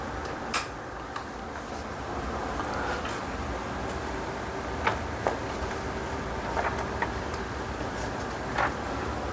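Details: Epson S31+ projector brought in for noise and a Lamp status error, running on test: soft, even fan hush with a few handling clicks and no rattle or whine; the fault appears to be only the lamp.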